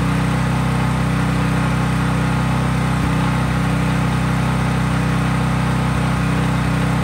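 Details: Craftsman 5000 W generator at full speed with only an LED bulb plugged in, effectively no load: steady drone with firm regular beat, no misses or knocks, holding governed speed; normal no-load running.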